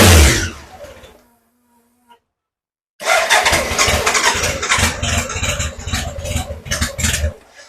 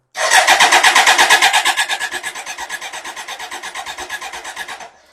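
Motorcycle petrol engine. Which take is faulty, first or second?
second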